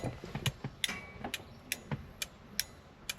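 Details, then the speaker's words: Ford XA Falcon original flasher can, ignition on, unit unclipped and pulled out: sharp dry ticks about twice a second, slightly uneven; it started working only when disturbed, since its contact points are unreliable; indicators had just stayed on instead of flashing. "all of a sudden it's decided it's going to start working cuz I've disturbed it. You can hear that flashing away in there. All it is is contact points."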